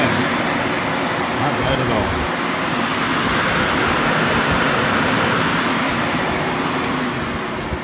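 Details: Newly installed Hayden Rapid Cool 16-inch electric cooling fan on an RX-7, run via a switch from the battery: a strong, steady, even rush of air with no ticking or rubbing. The fan is healthy.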